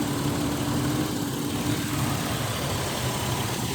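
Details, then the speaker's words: 2001 Ford Explorer Sport, after a crank-no-start fixed by swapping the PCM/EEC relay with a neighbouring relay, starts right up and settles into a steady idle with no stumbling; normal idle. "I removed this relay and I put the one that was right here right there and it started right up"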